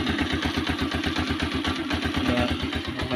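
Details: Motorcycle said to be hard to start in the morning, kick-started with a very cold engine: a steady single-cylinder putter at a regular beat, no stumbling or dying out. It idles smoothly.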